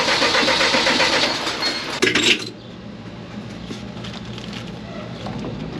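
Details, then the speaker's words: CAT (Perkins) C4.4 diesel cranks steadily but will not start; injector back-leak about 90 ml per 30 seconds versus 25 ml spec, so injectors need replacing. "it will crank it just will not start so"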